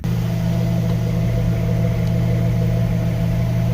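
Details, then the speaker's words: 1988 Jeep Wrangler YJ 4.2L straight six, after setting timing with a vacuum gauge and adjusting the carburetor, heard at the exhaust pipe: low, even, smooth monotone idle with no more popping or missing. Normal idle. "yeah no more popping missing it's just a nice smooth monotone sound with it"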